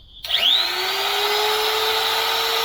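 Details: Electric trim router run with no load on a Bluetti EB3A portable power station: spins up quickly to a steady high whine with an even pitch, no grinding or chatter; running normally.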